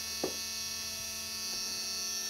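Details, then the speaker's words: 1994 Dodge 12-valve Cummins diesel truck abandoned in a field for over 5 years: key-on warning buzzer, a steady high continuous buzz, louder after battery cable connections were redone; engine not running, interior light brighter. "okay make sure we got good connections yeah better interior light right off the bat louder buzzer"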